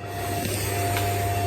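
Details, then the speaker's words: Westinghouse Turbo 2 ceiling fan on maximum speed with light shade fitted: steady low hum with a constant high buzz, noisier only when the shade is on; the shade rattles, and tightening its screws did not cure it. "i've been trying to work out how to stop that rattle that annoying buzzing noise that was happening whenever the the shade was um was on the light"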